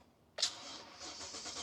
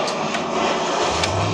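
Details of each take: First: Abandoned 2014 Toyota Tundra after ignition cylinder replacement, on jump pack with old battery, security light flashing: starter spins engine at an even rhythm but it never catches; key needs programming for immobilizer. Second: Abandoned 2014 Toyota Tundra, sat 5 years, after ignition cylinder replacement and locksmith key programming: brief whoosh, then engine catches and settles into a steady low idle within a second; quick, clean start.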